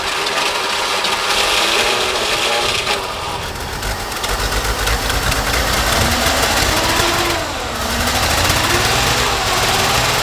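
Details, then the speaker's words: Forklift small engine running after fitting a new muffler, before carburetor replacement: quick steady beat with soft muffled exhaust and no blowing leak, much quieter than without the muffler; normal running, black smoke. "Wow, that's crazy. That is so much quieter than this when it isn't hooked up."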